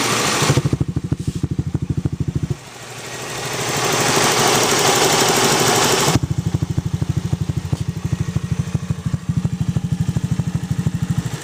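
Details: Zoomer X engine at idle: a steady, fast, sharp ticking rides over the idle and returns after a short throttle blip; the source of the engine click is unclear.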